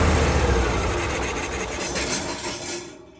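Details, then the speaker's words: Cummins Onan Marquis Gold 5500-watt RV generator, sitting about 20 years, on a nearly dead jump pack: catches and runs briefly, revs sag and it fades out within three seconds; owner believes blinking code means low voltage. "Oh, it sucks. So it's blinking a code for us. I believe that's a low voltage code."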